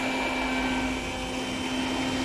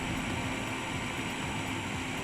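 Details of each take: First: Eberspacher Hydronic 30 kW heater on bench, connected to batteries and diagnostics, at start attempt: smooth, even electric hum of the water pump with steady pitch, no rattle or grind; normal pump operation. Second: Eberspacher Hydronic 30 kW heater, second unit, start attempt with fuel confirmed and pump working: fan rush and fuel solenoid valve ticking but no spark clicking; no ignition spark, spark generator suspected, connections look clean.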